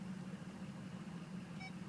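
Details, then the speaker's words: 2004 Ford F250 diesel 4x4, 139,825 miles: low diesel idle throughout, then two short high beeps near the end; reverse parking sensor working normally. "Hear that? That is a functional parking sensor. I don't know how that happened, but it did. That's amazing. They never work, ever."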